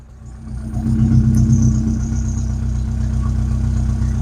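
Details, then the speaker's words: Rover 25 GTI, 1.8L VVC petrol, warming up after fuel filter replacement: idle with an uneven beat and occasional stumble, slight hesitation; misfire not fixed by new filter, owner suspects spark plug gaps not checked with feeler gauge. "Do you know what? I don't think it has. There it is. Almost like it slightly hesitating."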